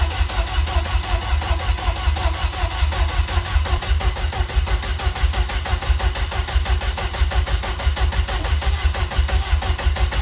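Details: Vauxhall Corsa twin-engine car, freshly rebuilt rear C20LET engine first fired in months with oil but no coolant: lumpy, uneven idle with a stumbling beat and occasional pops; sounds like a misfire on one cylinder or some backfiring.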